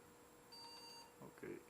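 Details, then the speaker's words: Pentium 4 PC at power on with no display on DVI or VGA: one beep then three fast high beeps; startup error code, some RAM removed, video card suspected, cause not found. "so you hear the first beep that's a good sign nothing is on the display that's the first beep and then it beeps three times fast"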